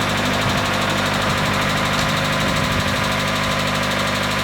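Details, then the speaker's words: Mazda Miata after timing belt and water pump replacement, idling before final reassembly: steady, even idle with a constant mechanical hum, no knocks or misses; timing not yet checked with a timing gun; normal idle. "I think it's good i don't know i'm going to use a timing gun on it later to make sure the timing is correct but right now it's running"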